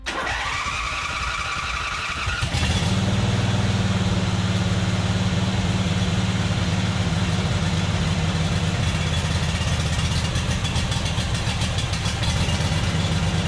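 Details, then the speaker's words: John Deere Z425 zero-turn with a swapped engine, carburetor just cleaned, started on full choke at low throttle: brief cranking, then it catches and settles into a steady, even low putter once the choke is off. "so it fired up on full choke uh ran a bit and then started choking out like it should as it warmed up and then I took the choke off and it started purring along pretty good"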